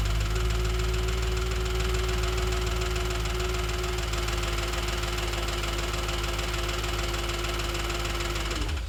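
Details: 2007 Audi S4 idling with a light, quick tick of about four per second over the engine hum, after a full timing chain job and a new clutch and flywheel; the source of the ticking is not yet found.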